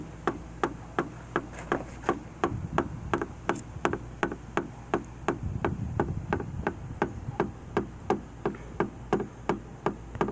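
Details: Jeep JK: sharp regular knocking, about three hits a second, over a quiet low running hum from the engine bay; the knocking was later resolved.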